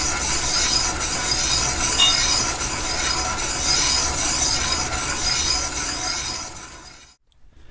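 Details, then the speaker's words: Minneapolis-Moline X231 prototype bolster casting line-bored with a flat-belt-lathe-driven boring bar, first roughing bit: continuous hissing scrape holding an even tone about seven seconds without skipping, cutting all the way around, nice chips; steady uninterrupted boring cut. "we're finally starting to cut all the way around 36 60° you hear it in the cutter you don't have that uh that skip that Interruption really nice chips coming off this thing"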